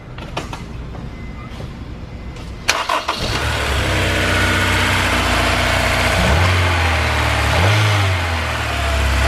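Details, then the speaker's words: Honda S2000 with no power and engine noise, serpentine belt removed: engine idles with a constant light rattling buzz, almost lifter-like. The alternator and brackets were missing bolts, and the knock sensor was pulling timing. "Still there, it's a vibration. It's all the time now, it almost sounds like a lifter."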